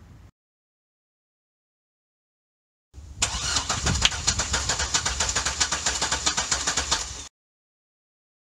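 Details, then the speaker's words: 2005 C6 Corvette LS2, valve cover off during compression test: starter cranks steadily about four beats a second, even chug every stroke; good balanced compression, 200 psi consistent. "that's pretty damn good. Got 200 again, consistent."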